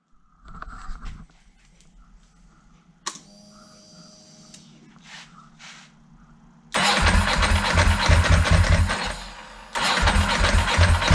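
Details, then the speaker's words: 2002 Ducati 748 V-twin, crashed and neglected project bike, first start attempt after reconnecting the fuel pump: cranks, catches and runs briefly at a ragged, uneven beat, picks up slightly with throttle but won't rev, dies when throttle closes; fuel starvation. "so at this stage it's obvious the bike isn't going to run correctly so it'll pick up if I give it a little bit of throttle but it won't rev up and as soon as I let the throttle go the bike dies"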